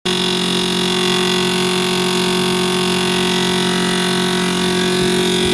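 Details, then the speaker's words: Frigidaire side-by-side fridge-freezer: loud steady buzzing whir as the freezer fan blade hits built-up ice, possibly from melt-and-refreeze after a power outage. "You can see the fan in there. The fan is actually hitting ice. Not ice from the ice maker, but just a build up of ice."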